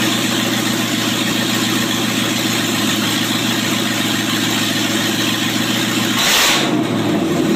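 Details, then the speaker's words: 1995 Range Rover Classic LWB V8 now on MSD Digital 6A ignition with stock coil and open headers: loud, steady idle with an even beat, then a quick rev blip; running cleanly, normal idle. "Yes, it does run off of that because if you notice there's only 2 wires to it, so this car is actually running off the MSD Digital 6A."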